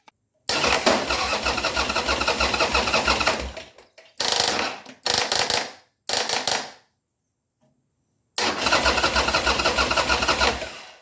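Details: 2002 Buell S3T V-twin after fixing a starter click caused by a bad ground strap near the rear brake light switch: starter cranks, engine fires promptly, several short runs and restarts, settles to steady idle; healthy start.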